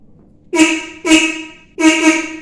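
Three short, clear horn blasts at a steady pitch, each ending cleanly; the horn sounds strong and works fine.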